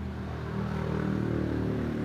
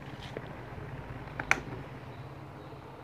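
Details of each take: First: Miyako electric fan that won't turn, only hums. Steady low electrical hum and vibration while powered but stalled, and it spins only if pushed by hand. Later found a bloated capacitor, an open start winding/capacitor circuit, and a damaged shaft and front bushing. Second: Miyako fan after repair of no-spin humming (open starting winding/capacitor path, worn shaft and front bushing replaced); tested at speeds 1 and 2, quiet steady hum with one brief click, no stall buzz: normal running.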